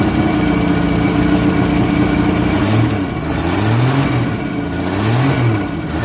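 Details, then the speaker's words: 1964 Holden EH ute, cold start after a fuel pump swap (old diaphragm perished), with starting fluid: smooth idle and clean throttle blips, all cylinders firing evenly, no misses, charge light out. Normal running and revving. "Sounds like she's running on all cylinders, which is great news."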